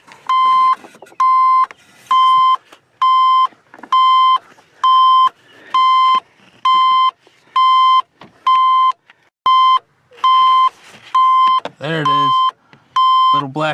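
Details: Square-body 3/4-ton 4WD Suburban being stripped of aftermarket alarm wiring: even single beeps at one pitch, about one per second, from the aftermarket alarm box.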